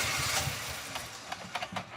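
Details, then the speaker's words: Rebuilt 230,000-mile LS V8 (DOD delete, Truck Norris cam) just after first startup. It stumbles with uneven low thumps and a lumpy beat because DOD is not yet shut off in the computer, which keeps trying to deactivate cylinders. No major rattles. "we still haven't uh shut the dod off and the computer so the computer's a little bit pissed off there it goes but that's part of the process"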